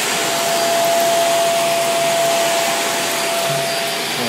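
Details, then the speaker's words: Greenote corded AC stick vacuum (18 kPa, HEPA, bagless) vacuuming a small mat rug: even high motor whoosh with faint steady whistle, no rattle or surging; runs quiet and picks up debris, normal running; odd harmonics occur only when held off floor. "Runs very nice and quiet. It sucked up all the detritus and debris that was on this little mat rug, whatever you want to call it."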